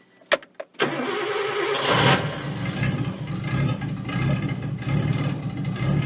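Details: Nissan 240SX S13 with a swapped RB20DET, after charging the battery and hooking up the fuel pump: cranks briefly, catches cleanly and settles into a steady, even idle with no misses or knocks; normal start.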